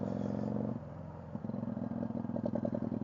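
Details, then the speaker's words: Motorcycle with rear-cylinder trouble after valve clearance adjustment, carb reset and fuel-diluted oil change, riding: uneven stumbling beat with occasional dropped firing, slight miss on all revs but most noticeable at low revs and in lower gears, hesitant. "So it's just slightly missing at them low revs. Well, I think it's missing on all revs, but you notice it more on"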